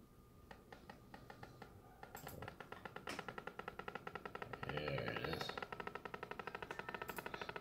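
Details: HP Envy m7 laptop, out of warranty: sharp regular distorted pops from the speakers whenever any audio plays, even muted, quickening to several a second, stopping when audio stops; driver rollbacks and OS reinstall didn't fix it.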